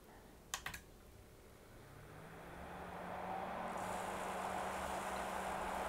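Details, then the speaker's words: 15-year-old Corsair external AIO water cooler (possibly Nautilus 500) on an 11900K: pump hum with steady hiss and watery rushing turbulence in the tank; air in tubing and low reservoir level, more distilled water to be added. "hmm you can probably hear there's a lot of like turbulence water stuff going inside going on inside the tank i mean it's enough water to just power the entire loop but it's not much left in the reservoir"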